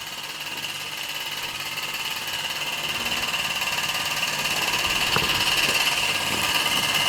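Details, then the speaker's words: Mamod SE1 model steam engine from 1946 with disc crank flywheel, after restoration: soft, even chuffing about three and a half beats a second over light steam hiss, rising gently, running very quietly and sweetly. "the mamas are a little bit trickier than that but as you can hear it's very quiet"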